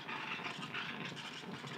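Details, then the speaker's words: Gaggia Classic Evo Pro espresso machine, steam switch on after brewing: soft steady hiss with faint fluttering as the boiler heats up to steam temperature, a normal heat-up before producing plenty of steam. "you can hear it warming up you can hear the boiler calming up to temperature so it's going to start creating a lot of powerful steam out of this steam one which it certainly does"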